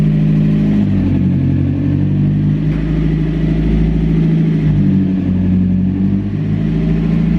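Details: Mazda MX-5 Miata with DIY turbo install, first start after priming the turbo with oil: engine catches and keeps running, idle hunting a little with light throttle blips but no knocks or rattles; runs fine.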